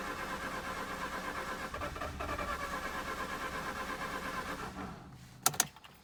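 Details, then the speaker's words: Mazda RX-8 rotary: steady pulsing starter crank about five seconds, never catches, stops with clicks, crank no-start; owner suspects low compression, helped when some oil gets in. "so that could only mean like one thing i guess low compression and whenever some oil makes it then it helps"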